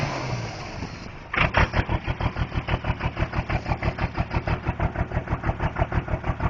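After start-up, a heavy loping idle pulses about three times a second with an uneven beat, typical of a diesel injector misfire.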